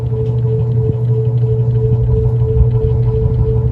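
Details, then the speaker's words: 52-inch Emerson Casablanca Classic ceiling fan with a K55 motor, recorded close up on high speed. Loud, steady low hum with a higher tone on top and no bearing noise. The motor hum is heard only on high. "yeah there's that motor home I was talking about and it's only on high speed when you can hear it"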